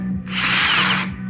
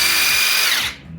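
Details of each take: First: Makita 3/4" cordless 40V impact wrench run in short bursts: a harsh rattling roar over the motor whine, first thought to be loose motor bearings. The impact mechanism was dry and unlubricated; it was cleaned, regreased and given a new silicone gasket. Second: Makita 40V brushless cordless 3/4 impact wrench after regreasing impact mechanism, fixing motor noise thought to be bearing/bushing play: smooth even high whine, clean wind-down, no growl or rattle; motor now runs smoothly.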